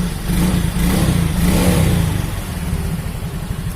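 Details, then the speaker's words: Yamaha Mio Soul GT injection scooter that wouldn't start and had a heavy kick start after late oil changes, after repair: starter catches and the engine fires, settling into a steady, even low putter with no knocks. "Coba kita kontak on, tadinya tidak mau starter ya, ini sudah saya kontak on. Oke, sudah mau starter ya teman-teman."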